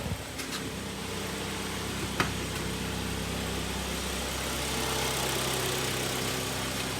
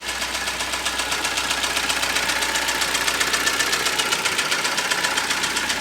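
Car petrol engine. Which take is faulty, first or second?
second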